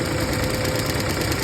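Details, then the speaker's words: 2013 VW Jetta 2.0L at idle, AC turned on and radiator fan at full speed: steady fast whoosh with light regular ticking pulse as the fan wobbles; wobbling radiator cooling fan. "so now I'm turning on AC and let's see the fan is turning on. See, it is also wobbling."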